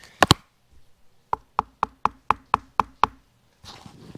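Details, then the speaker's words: 1975 Kawasaki KE125 two-stroke, long sitting with seized engine, fuel tank tapped by hand: dull dead thud instead of hollow ring; opened tank holds mud-like sludge; debris in fuel tank. "That sounds like it's got some stuff in it."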